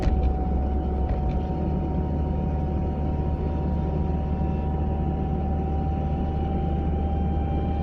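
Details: 940 cruising at about 30 to 40 mph: steady mid-pitched whine over low road rumble, heard from the passenger side; source unidentified.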